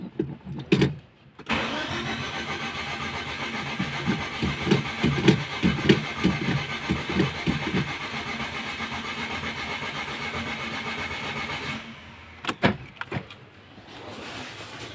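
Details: Mitsubishi Galant GTI, 4G63 engine: steady starter cranking grinds on for about ten seconds with uneven chugs before it finally catches; hard starting with long crank, slow to fire. Cause suspected, not confirmed.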